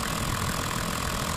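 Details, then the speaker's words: After power steering pump replacement and air bleeding until the fluid ran clear, steering turned: engine idles evenly with a steady faint hum, no pump whine or groan; power steering now quiet. "Nah dengar ya memang halus dan dia tidak akan bunyi lagi"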